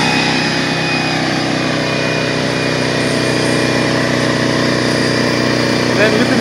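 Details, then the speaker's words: DeWalt 4.5-gallon air compressor after no-start troubleshooting and a tank rinse: steady electric motor drone with quick, even pumping chatter and no knocks or squeals. Belt and piston are good, and pressure builds normally. "so I'm gonna go ahead and turn it on and so you can hear it working right here"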